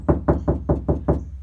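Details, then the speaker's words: Knock test on bare car door before applying KilMat sound deadener: six evenly spaced knocks, deep boomy thuds ringing hollow; plain hollow sheet metal with no sound deadening. "But definitely right now, I mean, this is just plain hollow."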